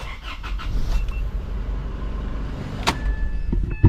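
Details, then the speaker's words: 2014 Isuzu D-Max 4x4 automatic diesel after neutral safety switch nut adjustment, started in park with brake on: it catches and holds a smooth, steady low rumble with a few cab clicks; normal engine start. "It starts right up."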